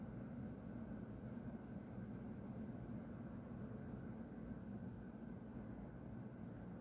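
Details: Constant deep roar without rhythm or pitch change from the industrial plant next to a home at half past midnight, with white smoke rising; resident suspects a compressor being emptied, unconfirmed.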